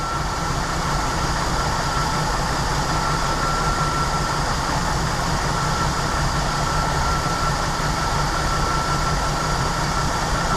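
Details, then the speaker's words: Jeep Wrangler YJ Sahara 4.2 inline-six, idle mixture screws being adjusted from about 18 inHg vacuum: even, steady low drone with no misses or surging; idling smoothly with good vacuum. "that gets us right at about 19 but I mean here's why I don't want to dig in into this hard she's running pretty darn nice"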